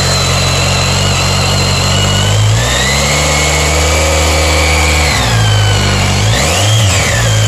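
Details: BMW K1300S motorcycle revving up and down with a thin high screech whose pitch climbs and falls with rpm; owner asks if this is normal; source not obvious, worth checking.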